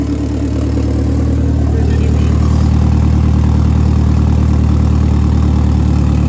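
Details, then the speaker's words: Eagle Talon with a 4G63 engine after timing work: a smooth, deep, steady four-cylinder idle with no misses, knocks or ticks. Timing is right and it starts easily, though an oil leak is found at the front of the engine. Normal idle. "But as you guys can see, everything was running perfectly fine. The timing was perfect. It literally did not struggle to turn on, and there was no problems whatsoever when it comes to that."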